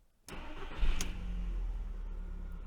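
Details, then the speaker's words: Audi A2 1.4 16V AUA 75 hp petrol, unused 8 years, first start after fuel filter replacement and four fuel pump priming cycles: short crank, catches at once and settles to a steady, even idle; normal start. "and it turned on without any problem perfect"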